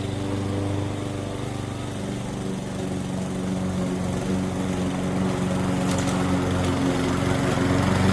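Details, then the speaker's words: Curb-found Weed Eater walk-behind mower, single-cylinder: steady even governed speed, picking up slightly under load, no misses or knocks; runs good. "we'll take it. Runs good."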